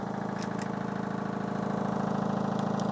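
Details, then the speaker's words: Fisher and Paykel 8 kg front-load washing machine from the dump, drum spinning: steady motor hum with a regular knock about four per second that stops when pressure is applied by hand; not a drum fault, suspected stabilizers/suspension. "yeah so if i put a bit of pressure here here that goes away so that's not a drum problem it's nothing to do with this part here"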